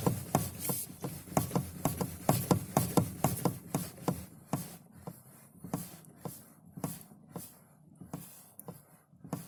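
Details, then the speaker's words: Lada Kalina steering rack (3.1 turns) knocking near center: dull uneven knocks about twice a second when wheel returns through zero; persists after two rack repairs, preload spring replacement, bushed and greased steering shaft joint; tie rods reportedly tight. "если в ноль возвращаясь тут появляется вот около нуля кручу"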